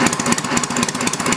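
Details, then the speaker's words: Homemade inline four-cylinder engine built from Briggs engines, at its first runs: quick, even exhaust pulses with a steady beat and no misses or knocks. Running smoothly. "chugging right along I should have brought the tachometer out a man that's not too bad huh"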